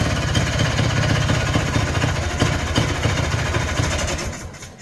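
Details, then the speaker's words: Polaris Trail Boss 250 two-stroke ATV (titled 2000, owner guesses 1988 or 1992), just revived and choked. Uneven popping idle around four a second sags and nearly stalls. Owner suspects the carburetor idle circuit is still plugged, possibly water from the tank. "just as I thought that idle circuit's not working probably because it's still plugged"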